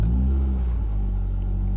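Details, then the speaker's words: Ford Fiesta ST150 petrol engine, cold, hanging at a raised idle of about 1,000–1,500 rpm after the throttle is blipped and released, a steady deep hum. Cause: a split PCV hose behind the intake manifold; throttle body cleaning and new intake hoses hadn't fixed it. "can you see how your sticks like then especially it's literally just and if you can see my foot there off the accelerator yeah and it sticks a little bit"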